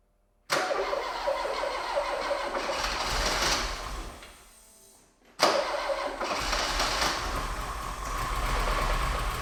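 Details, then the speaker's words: Porsche with a 2.0 Audi engine, first start after a replacement engine was swapped in to fix an engine failure that left it running on two cylinders: cranks and catches twice, uneven chuffing, stumbling idle, dies between starts; it only just runs, rough running. "it kind of runs"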